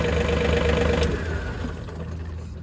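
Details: John Deere 4105 diesel with thermistor bypassed by a momentary switch, pressed briefly so the coil isn't burnt out: brief flare settling to a steady, even low idle with a faint whine fading; runs clean.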